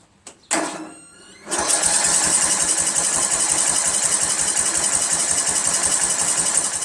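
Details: 1999 Craftsman LT1000 lawn tractor, Briggs 17.5HP engine, after a Walbro carburetor swap, original flywheel refitted and valves adjusted to spec. Good spark, 130 psi compression. Even starter cranking at about four compression pulses a second never catches; it cranks but won't start.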